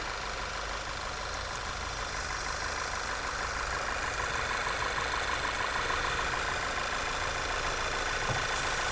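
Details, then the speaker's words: Idling engine with a thin, steady high-pitched squeal over a busy, rattly running noise. "you hear that high-pitched squeal okay no it does"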